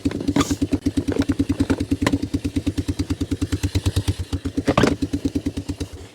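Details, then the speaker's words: Three-wheeler single with aftermarket Chinese carb leaking fuel from the bowl, run on old gas without choke: even, steady thumping about seven beats a second, no skips or clatter; idles cleanly, healthy. "Surprisingly, this thing's running pretty decent for that old gas."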